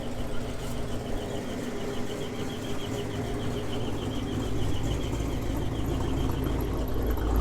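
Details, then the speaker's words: GMC 2500 Vortec V8, warm idle, not the belts, only when warm: sharp high chirp about three times a second keeping time with engine speed; owner traces it toward the torque converter and bell housing, source unconfirmed. "this is this aggravating chirping noise that uh that i'm talking about and from what i've read on the internet it looks like a lot of other guys have had this problem"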